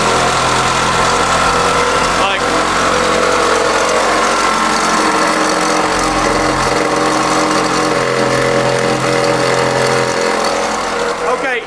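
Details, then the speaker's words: 1991 Honda CR-X Si at idle: constant thin whine and rough hum over the engine, with a bad smell, though it still charges; worn alternator bearing, alternator to be replaced. "hold on it don't make any like they don't do nothing weird it just sounds bad"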